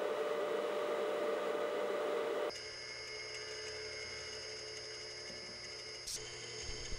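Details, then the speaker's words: Induction motor run from a Teco L510 VFD, with its original bearings still in, before the bearing replacement: a steady hum carrying a thin constant whine and a faint rough undertone at even speed, consistent with tired original bearings. "there is a a small bit where the has the original bearing in still running in the motor so you can kind of compare between what it sounds like when I finished and what it sounded like when I started"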